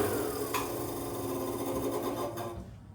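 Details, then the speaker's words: Berkeley sprinkler pump after seal replacement, run only a couple of seconds because the seals are dry (soapy water applied): brief even motor hum winding down with no grinding or scraping. Normal running. "You don't want to run them for more than a couple seconds because the seals are dry, but that sounds good."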